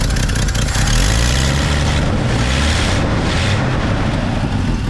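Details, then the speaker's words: Chevrolet C10 V8 truck at steady idle after exhaust work: rumble with no puffing or ticking, no longer droning; owner hears a misfire, suspects cheap HEI; exhaust sealed, no leak. "sounds way better than it did there's not a massive exhaust plate coming out of the front there used to be that it would just blow your eardrums out or drone really bad in this general area which is cool"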